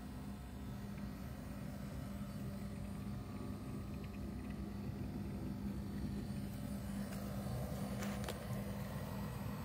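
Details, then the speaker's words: Van fridge-freezer for a 1984 Vanagon running on max setting: quiet steady low hum with consistent fan speed, air drawn in one side and a light breeze out the other, occasional bubbling of coolant; condenser fan running normally. "fan speed and sound are consistent and you would want to keep you wouldn't want to make sure this is well ventilated because i do feel here it's sucking air in and this side it's this light breeze"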